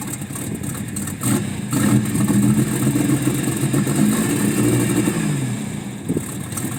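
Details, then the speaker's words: 1994 Toyota 4Runner 3.0 idles with an uneven, lumpy, wandering beat; code 31 (mass airflow sensor) set; owner suspects the MAF flapper isn't opening or a bad oxygen sensor; rough idle, cause unconfirmed. "I don't know if it's got a bad oxygen sensor or what but then it had to code 31 which is a mass airflow sensor"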